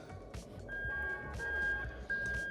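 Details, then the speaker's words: GS430 3UZ-FE VVT-i engine harness adapted for Lexus IS200 with manual gearbox, bench test with reverse switch bridged at the connector terminals: steady high beep near 1.6 kHz; reverse circuit and crimps good, beeper working. "can hear that beeping noise. So that tells me that everything is fantastic."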